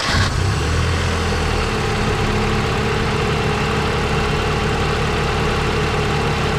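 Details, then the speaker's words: 1988 Mazda 323 after rewiring the radiator fan to run with ignition on: steady even idle with a constant airy fan whoosh; fan working normally. "all right here you go stand's blowing can't see it but it's blowing you can hear it"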